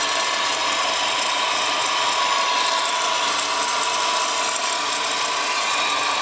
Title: WRX GDB strange noise (Solved- Bad A/C Idler Pulley)